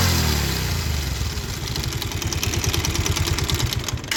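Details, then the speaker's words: Bajaj Pulsar 150 starting and idling with an uneven clattering knock from the clutch side, caused by a failed balancer (scissor) gear; clutch plates worn and engine bolts fell out; new balancer to be fitted. "जैसे कि आपने इसकी आवाज़ सुनी, clutch में खटखट की एक आवाज़ आ रही है। तो इसका जो सीजर गियर है वो ख़राब हो चुका है।"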